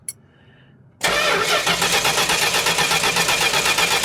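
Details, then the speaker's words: 1969 Plymouth Road Runner parked for decades that ran before being shut off: cranks steadily about four pulses a second but never fires; screwdriver spark test suggests no spark, cause not confirmed. "Nah, I don't think so, dude. I don't think so. Hold on. I don't think we got spark."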